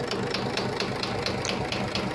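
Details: Engine recently rebuilt, started right after reassembly: sharp metallic knock about four times a second, evenly timed with idle, from a spun connecting rod bearing, blamed on careless bearing-to-journal clearance during assembly.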